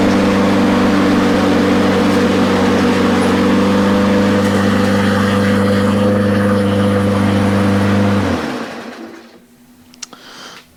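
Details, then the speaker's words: Briggs & Stratton small engine after cleaning its plastic carburetor and blowing out the jets: steady even hum with no surging or stumbling for eight seconds, then winds down cleanly when stopped; healthy running. "that sounded pretty successful to me don't you think I think so so this is good to go"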